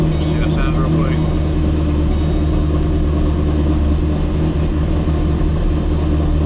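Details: Ford GT500 with 2.5 pulley and updated tune, after new spark plugs, cold start through stock mufflers: deep, steady low V8 rumble, slightly choppy while warming; healthy idle.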